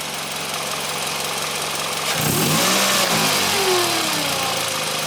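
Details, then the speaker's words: Car engine revved with blips, a thin whine gliding with revs over the exhaust roar. Owner suspects the alternator, not confirmed; the battery is fairly new and a battery test comes next. "Moe press the gas a little bit so you guys can kind of hear the noise that I think it's coming from the alternator"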